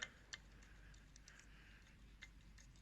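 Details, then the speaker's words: VW 1.9 TDI PD105 turbo removed on bench: exhaust side solid, intake side rocked by hand gives a few sharp, irregular clicks; excessive shaft play, worn bearings, turbo being replaced. "got a lot of play in it, so it snaps the actual impeller shaft. Time to put a new one in."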